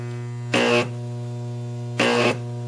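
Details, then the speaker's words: Deshunted large microwave oven transformer (MOT), no capacitors, first arc test: steady low mains hum with two sharp crackling buzzing bursts about a third of a second each; very bright, strong, healthy high-voltage arcs. "those are nice arcs they're very bright they're way brighter than my Triple M sack just to give you an idea"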